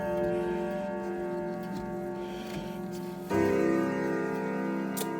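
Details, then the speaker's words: Howard Miller grandfather clock before servicing (escapement gear damaged, running fast): clear bell notes in the Westminster sequence over a steady tick, single-chime/silent/chime selector on Westminster; chime train working normally. "howard miller clock this is a single chime silent or chime chimes westminster"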